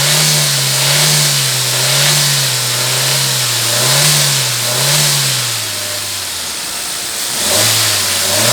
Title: Engine noise I-20